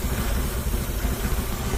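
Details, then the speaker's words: Z car first start after fuel tank install: uneven low idle pulse with a faint airy hiss; suspected leak. "not sounding good it's definitely running there's no message but there's something else going on I can hear it there's something I might have a leak I hear it hissing"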